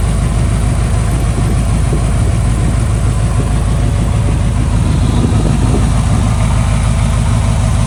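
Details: 1995 Buick Roadmaster Estate Wagon V8, sitting a few years, first start after purging fuel lines: deep, steady rumble at a settled idle with no knocks or stumbles; normal idle, though coolant then leaked from a missing upper hose clamp.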